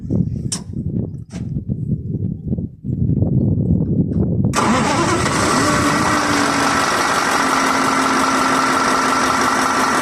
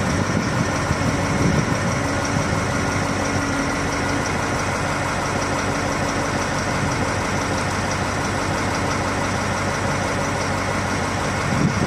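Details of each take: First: 2022 KamAZ crane-manipulator truck diesel, injectors swapped from a working truck, no scanner error codes: after some clatter of handling, the engine cranks, catches and settles into a steady, even idle with no knock left. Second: 2022 KamAZ diesel crane truck idling: heavy, then rough with irregular knocks; injectors already swapped, no error codes at first; diagnostics point to a loose rail pressure sensor connector upsetting rail pressure control.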